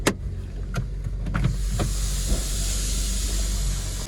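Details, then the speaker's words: Hyundai i10 engine idling, heard outside with the bonnet open after a noise fix (water pump/alternator suspected): soft, steady low hum with faint hiss, no knocking, squeal or whine; engine now silent, normal idle. "तो देखिए अब अपनी गाड़ी ने जो है start है अब बिल्कुल भी साउंड नहीं आ रहा है बाहर इंजन एकदम साइलेंट हो गया"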